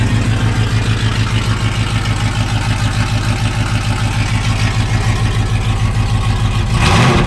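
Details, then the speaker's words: 2nd-gen Dodge Ram V8 just after long-tube header install, running open headers late in the day: loud, choppy even-lope idle then one quick throttle blip; runs clean and strong, normal. "so she is sounding good very excited man sounds awesome"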